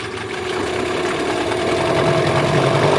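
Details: Yamaha 8C two-stroke outboard bought from Japan, after a rebuild with sandblasted starter housing, flywheel and head and a new lower bearing: steady buzzing idle, quick even pulses, speed holding level, no knock or rattle; healthy.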